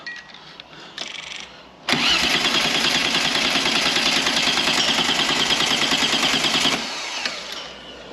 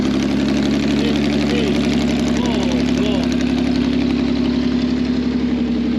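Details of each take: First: 2 L V6 trike on jump pack, fuel in tank but fuel pump not heard or felt buzzing: about five seconds of fast, even starter churning that never fires; crank no start from a seized fuel pump. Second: Customer's 2 L V6 trike, very short exhaust with basically no silencers, after fuel pipes and air fitting reconnected: loud, raw, clean even beat rising and falling as it's blipped; revs normally, though the fuel pump is judged dodgy.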